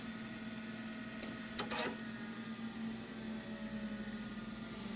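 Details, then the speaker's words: Macintosh SE after shutdown, power still on: steady low hum with a faint whir easing off as the hard drive spins down normally, slower than it would with power cut. "Hard drive is spinning down. You don't have to wait for it to spin all the way down, though. It spins down much slower when there's power going to it for some reason, so..."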